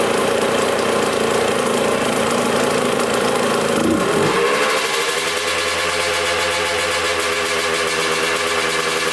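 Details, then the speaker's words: 1986 Kawasaki KX125 two-stroke: ragged idle that bogs and dips in pitch, then recovers, while carb cleaner is sprayed on the cracked intake manifold boot; the air leak through the cracks caused the bogging. "so pretty big pretty big air leak coming through that hole i mean that's a big that's a big gap so it's just sucking in air and that's why it was bogging so badly"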